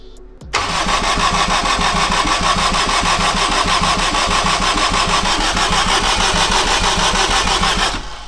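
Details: Turbo AWD-swapped Acura RSX build on its first start attempt, with fuel in the fuel cell and the TPS and wideband unplugged; the starter spins at an even pace of about three turns a second for seven seconds but never catches: crank, no start.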